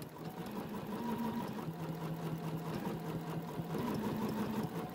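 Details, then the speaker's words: Bernina stitch regulator (BSR) free-motion quilting: steady needle hum rising and falling in pitch with hand speed, stitching faster or slower accordingly; normal operation. "again if i go faster it's going to stitch faster if i go slower it's going to stitch slower"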